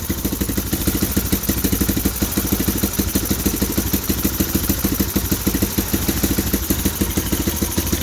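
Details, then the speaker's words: 2015 Bashan Storm 250 single-cylinder, first start on a booster box with choke fully on: even idle thumping about three times a second, no tapping or clacking; engine sounds healthy, starter gear works. "first try i don't hear no clacking from the engine sounds good sounds nice and healthy from the exhaust"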